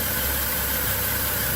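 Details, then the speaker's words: Car overheating despite new water pump and thermostat, coolant being lost: steady idle with heavy uneven shaking throb, rough idle; suspected blown head gasket leaking combustion gases into the cooling system. "you can see that vibration it's it's misfiring i wouldn't call it a misfire i say it's a rough idol real hard look at the vibration"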